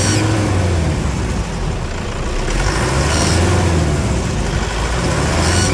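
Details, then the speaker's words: Loud, rough, uneven diesel revving with a faint airy rise from a Toyota Hilux 3.0 after injector repair and decarbonization; noisy turbocharger under acceleration, worked on elsewhere, and the customer will take it back there. "aí tá com barulho na turbina ele vai levar lá para ver isso aí olha lá o barulho acelera"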